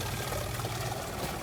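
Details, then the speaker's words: Shurflo 12V 30psi (2.1 bar) water pump in a self-built off-grid camper van with recycling filtration system, running with tap open; even low motor drone under steady rushing water, no knocking or surging — normal pump delivering great pressure. "so if we turn on this what kind of pressure we get here using this pump"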